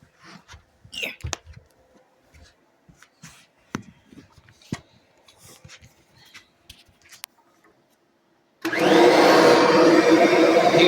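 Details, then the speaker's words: Kirby upright vacuum in normal stock mode, without the popsicle-stick suction modification: after handling noises the motor starts with a loud, steady, even roar and no rattles or surging. Normal running. "all right so I'll take the little piece out and then show what it normally sounds like"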